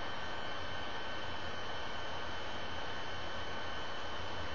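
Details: Computer fan heard while recording on a Logitech QuickCam Pro 9000 webcam as the computer freezes: a steady, loud airy rush with a faint high whistle and no change in pitch. The cooling fan is spinning hard; the cause is unclear.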